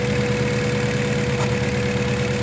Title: Palyadong makina o Misfiring? || MAZDA 3 || Gasoline Engine